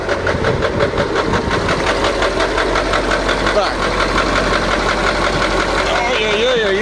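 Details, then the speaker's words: KamAZ YaMZ-238 diesel idling roughly: uneven dull knock once or twice a second over the clatter; owner suspects cylinder 7, also cylinder 5, injection pump ruled out; source unconfirmed. "мне кажется что что седьмой что седьмой цилиндр Ну как-то вот трубки вообще не отбивают вот это немножко стучит это тоже Пятая немножко Седьмая вообще"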